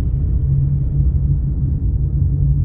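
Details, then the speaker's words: Car on factory-fitted Goodyear tyres, coasting off throttle on asphalt with all windows closed: deep constant rumbling drone; excessive tyre road noise, owner attributes it to aged tyres that still have tread. "काचा सगळ्या बंद आहेत, तरी आवाज पाहू शकता तुम्ही. खूप जास्त नॉइज आहे, कारण की आता जुने झालेत फार जास्त टायर."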